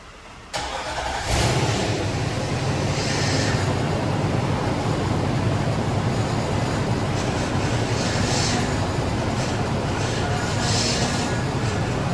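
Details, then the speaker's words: 2013 Nissan Armada, power steering leak repaired and fluid refilled to max: engine starts and idles with a low droning hum from the pump as air purges from the fluid, getting better as it runs. "as you guys could hear it's getting better and better as it runs the air is coming out of it"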